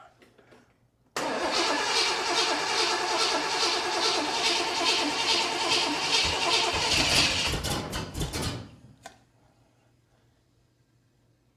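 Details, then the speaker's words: 1979 Corvette with new crate motor on first start, cold day, choke open, sediment in unclean fuel lines and unplugged vacuum leaks: catches, runs unevenly with choking pulses needing half to full throttle, then sputters and dies. "it sounds like okay you have to keep it Full Throttle to get it to start half throttle just to get it to chokingly run"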